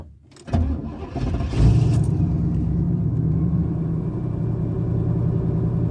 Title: Camaro IROC Z Rough Idle When Warm